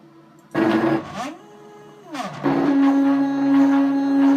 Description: Probefahrt mit 250mm/min. Die X Achse vibriert dabei heftig.